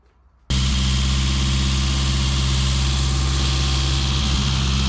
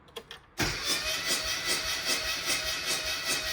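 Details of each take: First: Classic Mini after blown head gasket repair (engine never converted to unleaded; second-hand head fitted, all gaskets replaced, fresh oil): steady, even engine note with a firm low hum, no knocks, misses or rattles. Normal running. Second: Classic Mini never converted to unleaded fuel, blown head gasket, plugs one and two wet, cranking during compression test showing near zero: starter whirrs with a loose, uneven chug of about 150 a minute, one beat lacking bite.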